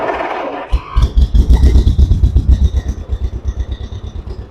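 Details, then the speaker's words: 1958 John Deere 420W two-cylinder, unstarted for about a year with the gas shut off so the carburetor dried out, jump-started from a Super Duty truck running nearby: catches within a second and settles into a steady, even pop. Clean cold start. "That was relatively pain-free. Swear I didn't start that tractor for like a year. Good news is I always shut the gas off, let the carburetor dry out."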